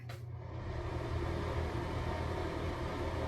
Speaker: now this is a fan that works and this is what it should sound